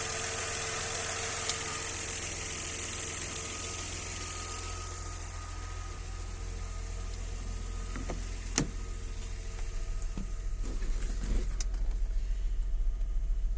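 Steady idle with a light regular tapping near three per second that grows more noticeable toward the end; a knock at idle, cause unknown.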